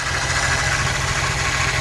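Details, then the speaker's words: 2009 Chevy Silverado at idle, listened to through a hose at the pulleys: a thin, constant high whine from one idler pulley. Its bearing is bad, and this was mistaken for a power-steering whine. "I hope yall can hear that that's whining like crazy so that right there tells me that that's the bearing that's bad"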